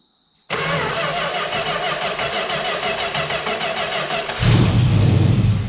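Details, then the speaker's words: 1971 Plymouth Valiant Scamp, parked 16 years, now running off its own tank with fuel hooked up: catches after a brief crank and settles into a smooth, even idle, no misses or knocks; sounds really good, seems to be charging. "that's it can't get much better than that everything looks all right here do a quick walk around actually sounds really good just like that running smooth too"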